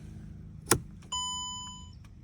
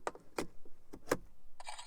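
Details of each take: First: 2008-2014 Mercedes C250 W204, key in ignition: faint irregular clicks under low hum after key click and chime, no dash lights, windows dead; electronic steering lock at the column trying and failing to unlock. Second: 2008–2014 Mercedes C250 W204 with steering lock (ESL) replaced by an emulator, key inserted into ignition: a few sharp light clicks then a short whirring buzz; emulator responding normally, car then starts.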